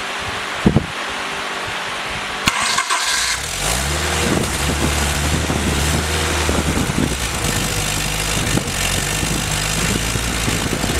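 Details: Willys F134 engine on a test stand with no transmission, pressure-lubed with 30-weight break-in oil, new Pertronix distributor, coil and starter; quick crank, catches at once and settles into a steady, even run with no knocks or misses.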